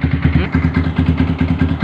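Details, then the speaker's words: Yamaha R15 on its first start after installing a 62 mm cast cylinder block: a steady single-cylinder idle with even pulses about six per second and no knocks or rattles. Smooth, healthy idle. "Ini Pak. Suaranya halus men."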